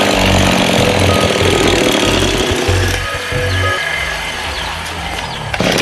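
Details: Lawn mower that is hard to start and runs unevenly: two-stroke engine beating unevenly, surging and dropping out in irregular bursts over background music. Rough running, cause suspected, not confirmed.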